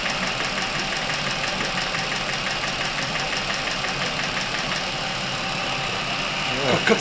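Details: Chevrolet Epica past 200,000 km that suddenly developed top-end engine noise. Light, fast ticking at about ten a second over a steady idle is hydraulic lifter tapping, attributed to oil starvation and coking in the cylinder head.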